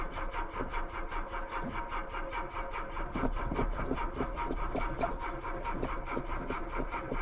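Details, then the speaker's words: Mk2 VW Golf with Weber carburettor and mechanical fuel pump, first start after months sitting through an Irish winter, booster pack on; starter churning about two and a half turns a second, never fires, owner suspects dry float bowl. "Really did not want to go. I think what it is that this has a mechanical fuel pump, and the Weber carburetor, the float bowl just dries out in it and takes a while to fill again."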